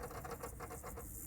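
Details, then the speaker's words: Sony Mini DVD disc camcorder reading a 2007–2014 home-movie disc; dry scraping rasp pulsing about eight times a second, then steady whir as the drive keeps retrying; disc is toast; optical drive stalled on unreadable disc. "not good. What the hell's going on out there?"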